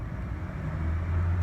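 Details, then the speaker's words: 1993 Ford F-150 4.9 inline-six after MAP sensor replacement fixed rough idle, bogging and hesitation: quick start, steady low rumble swelling smoothly with light throttle, responsive, rpm holding steady; normal idle and throttle response. "respond responsive stays at the same RPMs"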